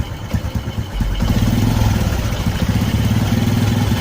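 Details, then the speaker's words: Carbureted Honda Karisma motorcycle with new spark plugs, complaint of stumbling, high fuel use and no steady idle: uneven, lumpy idle, exhaust smells of unburnt petrol. "The language smells terrible, so it's like petrol doesn't burn at all, friends"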